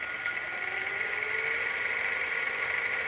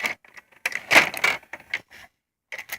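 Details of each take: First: Hitachi VT-FX695A VCR, idler gears freshly greased, fast-forwarding a damaged tape: steady thin whir with a faint, slowly rising tone that never reaches a quick spin. Fast-forward is slow, only one speed. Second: Hitachi VT-FX695A VCR loading a tape: short click bursts and brief motor whirs as the tape is threaded, a healthy load, slightly different from the owner's earlier, near-identical Hitachi VCR.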